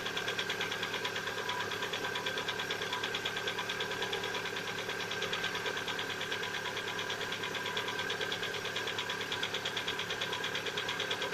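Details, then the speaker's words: Lada Vesta at about 70,000 km, cold start: steady, fairly regular light knock at about three per second at cold idle. Owner says piston knock, not hydraulic lifters, lasting one to two minutes; appeared recently, and the oil had been changed to the same oil. "здравствуйте доброго утра запуск как стучат пор стена холодного не путают с гидрокомпенсаторами"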